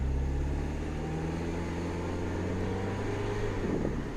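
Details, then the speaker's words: 2007 Mini Cooper S R56 driving after fuel rail pressure sensor replacement fixed rough idle: steady engine note climbing smoothly with road speed, no misses or knocks; sounds good, though oil pressure still slightly low. "As you can see, it's driving here. That sounds pretty good to me."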